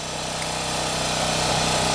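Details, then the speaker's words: Champion generator, about 3000 hours, original spark plug, after no-start fixed by checking fuel lines: steady, even drone under load, no hunting or surging, holding revs; owner suspects fuel distribution issue or bad fuel. "well the generator's in its regular spot under load i don't really hear any surging or anything i think it's running okay now"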